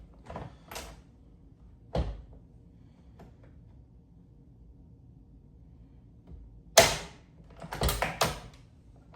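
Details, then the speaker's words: Water-cooled Russian system, setting headspace with the 0.008 shim removed from the 0.020/0.010/0.008 stack: sharp metallic clunks seconds apart, each lock snapping cleanly into battery; normal locking, correct headspace, light resistance. "Now listen, with that 0.008 removed, you hear that? That means that we're locked."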